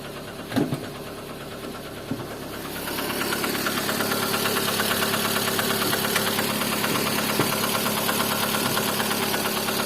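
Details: Lada Kalina engine at idle with a light, regular tapping of about three per second over the engine note; an internal engine knock, source unclear.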